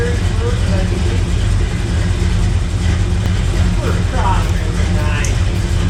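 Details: Chevy square-body truck just after a power steering pump rebuild, new line and return line, with fluid filled: a deep, steady rumble at an even idle with no knocks, whine or stumbles; idling normally.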